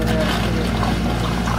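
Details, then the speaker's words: Boat bilge pump for the aft keel, run from the panel switch to remove water from a leaking dripless shaft seal: steady hum with sloshing gurgles as it draws air at low water, normal; float switch found non-operational. "you hear it gurgling let it run for a couple more gargles"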